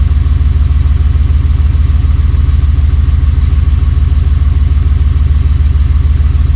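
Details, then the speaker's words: Buggy idling just after a cold start, after sitting about 3 months following an overnight swamp burial; probably barely 100 miles since getting it running: low, steady thumping idle, about three even pulses a second; running fine while warming. "All right. Well, it started, you know, as you can hear."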